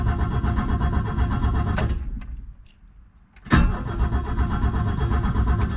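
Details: Abandoned Ford XF Falcon ute, first start attempt: starter cranks the engine evenly at about three pulses a second, pausing briefly midway; cranking normally, though a cracking is heard, suspected ignition coil arcing.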